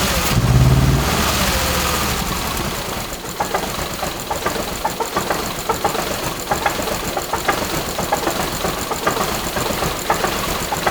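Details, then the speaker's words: First-generation Subaru Crosstrek with hand-built swapped 2.5L engine, old injectors refitted: uneven lumpy idle, irregular knocks and stumbles three or four a second; rough running, all cylinder heads feel warm, owner suspects fuel injectors. "I mean, these ones feel like they're warm. This front one feels, yeah, they all kind of feel warm, but you saw it, like it was running pretty rough. But it honestly might be fuel injectors."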